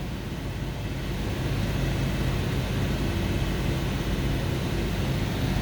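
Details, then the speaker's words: 2002 Toyota Sequoia V8, semi-cold, held around 2000 rpm: deep uneven exhaust drone with faint irregular stumbles; misfire on cylinder 4 despite swapped injectors, coils and new timing belt; check engine light flashing. "i think the computer is just seeing it's throwing like one two four and eight because it's just seeing that but at a higher rpm it's just cylinder number four so i'm holding this thing up at two grand"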